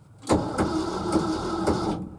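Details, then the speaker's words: Early-1970s Ford F-350 that sat about 7 years, cranking in neutral: heavy thumps about every half second over the starter whir, from under the truck. Thumping noise while cranking, cause unknown. "Yeah, something's making a bad clicking sound, thumping sound under there. Let's put it that way."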